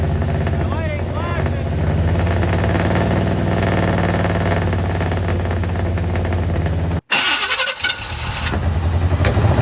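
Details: Square body single-cab Chevy truck with a small block 350 V8, first run in six months after the broken starter bolt hole was fixed with a stud. Rewired to firing order 18436572, timing now right. It cranks, catches and settles into a smooth, even idle with no popping.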